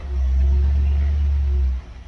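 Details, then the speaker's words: 318 LA V8, believed a 1973, on a run stand after sitting about 10 years: a deep, steady, even rumble with no ticking or knocking. It idles smoothly. "no way no way dude that thing like singer would be Crow and you said it's been sitting 10 years"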